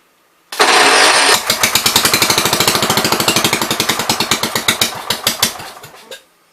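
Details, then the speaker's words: 1973 John Deere 110 with an uncleaned carburetor: catches with a burst, then uneven popping slows and fades over five seconds before it quits. The owner suspects poor fuel flow inside the carb and that it runs only on carb cleaner; the main jet is to be adjusted next. "I think we don't have good fuel flow inside the carb. Yeah, I think it's just running on the carb cleaner, I think."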